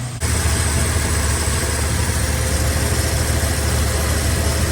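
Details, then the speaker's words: 1968 Chevrolet C10 inline six idling after new tune-up, exhaust downpipe refitted to manifold and exhaust leak fixes; steady, even low rumble with no knocks, ticks or misses, still noisier than the old small block; normal healthy idle. "Sounds good. Just a happy little 6."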